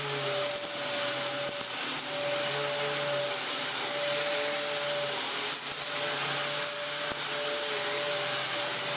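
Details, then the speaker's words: Second used Dyson vacuum running with the broken filter removed: steady high whine with a faint rough scratchy edge; the brush roll is utterly shot though the motor works okay. "The brush roll is utterly shot, but it works okay."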